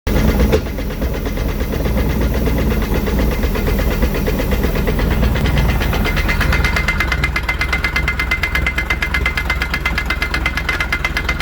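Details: 1988 MerCruiser 3.0 running with a rapid, rough knocking from the outdrive and a faint whine joining partway through.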